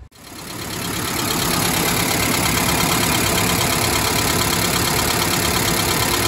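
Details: 1991 Mazda B2200 after converting from failed electric in-tank fuel pump to mechanical fuel pump: warm idle smooth and even with soft steady pulse, no misses or knocks; running healthy.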